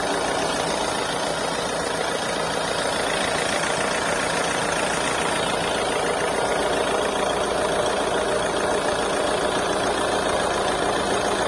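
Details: Mahindra XUV300 diesel at idle: rough, uneven chuff with a faint irregular knock underneath; blow-by (crankcase back-compression).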